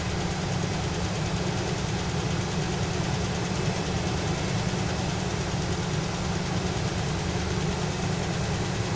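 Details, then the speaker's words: 1977 GMC motorhome after replacing the faulty HEI ignition coil: smooth, constant low idle rumble with no misses, knocks or surging; ignition no-start fixed. "So I'm going to try to do that while I am recording, and we'll see how it does here. And it works. We fixed the ignition problem."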